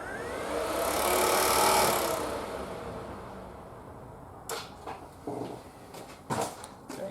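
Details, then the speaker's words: Triumph Spitfire with a newly installed 80 W thermostatic electric radiator fan replacing the mechanical fan, ignition on. A loud rushing roar swells then fades, followed by clicks, and voltage drops from 12 to 10 V. Electric fan running normally. "hopefully you could hear that probably couldn't see it you can probably hear it makes a hell of a racket"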